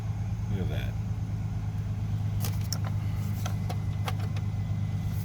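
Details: 2000 Chevrolet Astro Van after ignition cylinder replacement (broken in theft attempt) and battery reconnected: engine catches and settles into a steady low idle with some key rattle over it; normal start and idle.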